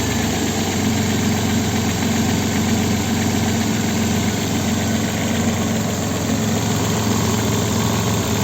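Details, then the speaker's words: Opel Vectra B 2.5 V6 (X25XE) shaking, rough idle with a lumpy beat on both LPG and petrol. Cylinder 2 is dead, cylinder 6 weak and cylinder 4 slightly weak; the misfire was traced to a pinched gas injector hose. "його трясе стоїть і на газу і на бензині"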